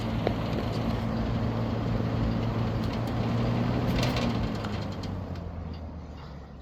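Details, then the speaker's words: 1970s Galaxy 3713 Turbo Stream 20" box fan, 3-speed non-reversible motor, startup on low: steady low hum with even airy whoosh, no rattles or scraping, easing off at the end; motor runs smoothly. "Let's see if we can get a startup sound on low."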